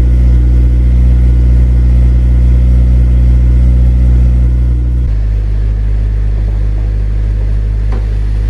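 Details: Honda Civic Si, cold start below freezing in snow after sitting about two weeks: engine catches and runs an even high idle, then settles to a lower steady beat around five seconds in; a clean cold start.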